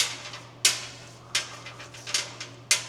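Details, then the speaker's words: 1971 Mercedes-Benz 300 SEL 3.5 V8, about 98,519 km, front wheel after reassembly: occasional sharp metallic clicks as the wheel rolls, from a snapped wheel stud's remaining threads loose behind the backing plate. "And also in that front wheel, when I put it all back together, I noticed a rattling. And I thought, well, what is that? Where is that noise coming from?"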